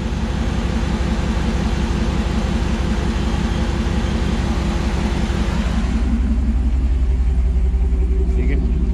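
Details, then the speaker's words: 2009 Dodge Ram 1500 Hemi after AC compressor field coil replacement, AC on at idle: steady even engine, no grinding, squeal or clutch chatter; compressor clutch gripping cleanly, normal. "that there's no noise out of that AC clutch compressor so it's gripping real nice"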